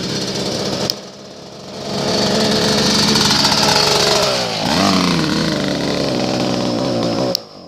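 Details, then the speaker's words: Dirt bike engine that smells and sounds like a weed eater: the buzzy, high-pitched small engine catches, rises to a fast steady run, dips briefly and recovers before being shut off, so normal running. "Well, he got it started. Now he killed it, but smells like a weed eater. Sounds like one too."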